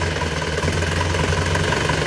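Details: Isuzu Panther diesel after rebuild with cast liners, on FX Titan oil: steady, smooth idle with a faint, regular puffing tick on each pulse. The exhaust flex pipe is leaking and is to be repaired.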